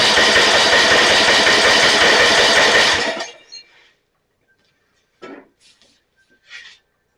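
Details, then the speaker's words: Snapper 28" riding mower with a Briggs & Stratton, electric start, hard starting. It cranks about 3.5 strokes per second for three seconds even with carb cleaner sprayed in, never fires. No spark suspected, and possibly water in the fuel because the gas cap is damaged. "sounds like we don't have any spark let's take the spark plug out"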